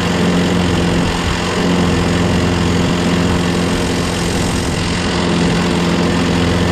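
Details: Craftsman lawnmower, Briggs 6.5HP Quantum single-cylinder, after carb clean, new starter, battery and magneto: holds a steady even drone on its own without surging or stalling; runs properly, owner hears an unexplained clanking.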